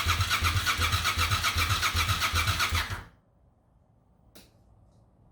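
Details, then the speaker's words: 1998 Suzuki TL1000R, sat 15 years after 2006 wreck, new battery: starter cranks at about four even pulses a second for three seconds, never catches; spark confirmed with carb cleaner, but clogged fuel injectors deliver no fuel. "Clearly has spark. Not convinced it has fuel. So thinking about it, found the problem. Fuel injectors weren't squirting fuel at all."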